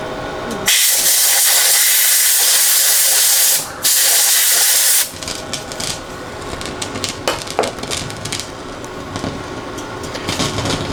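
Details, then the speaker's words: Marantz 2252B receiver with noise on one channel, front-end differential (long-tail) pair transistors freeze-sprayed: spray hiss, then irregular crackling and popping from the output; noisy input transistors, to be replaced in both channels. "I'm going to try to cool these down and see if that stops our Crackle"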